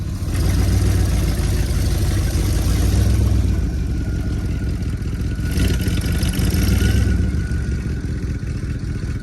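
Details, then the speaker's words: 1972 Chevy C20 with factory 402 big block V8, automatic, radiator leaking and low on coolant, short run testing transmission: steady low rumble with a few light blips, no knocks or misses, great oil pressure; runs fine, not roadworthy. "Would I say this thing's roadworthy? Not a chance. Running pretty good considering what it's done."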